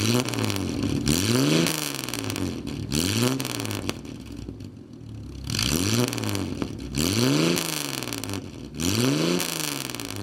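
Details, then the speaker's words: Nash, positive-ground car, engine running well: repeated throttle blips, note climbing and falling cleanly with a slight burble on the overrun; healthy exhaust, normal exhaust note when revving. "doesn't that sound cool little back rout so now you know how good she runs"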